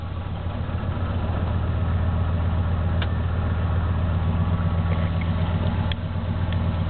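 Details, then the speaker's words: 1977 Chevy K10 350 V8 with 4bbl carb, dead cold start at 8°F in neutral. Choke doesn't work after an intake swap. Deep idle lopes unevenly, wavering and sagging as the cold engine struggles to stay running. "after doing the swap with the intake uh my choke doesn't really work so we'll pump it up it's running yesterday so it should start fairly quickly"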